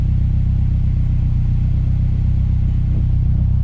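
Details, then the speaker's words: Honda S2000 after a fuel injector swap to cure a sputter: deep, even exhaust rumble at idle with no stray hiccups; it no longer bounces around 1,000 rpm and the occasional extra tone is gone. "Seems to be idling a little bit better. I think typically at idle it was floating just a hair over the 1,000 mark and bouncing down and up. It doesn't seem to be doing that. Exhaust sounds like a smoother tone."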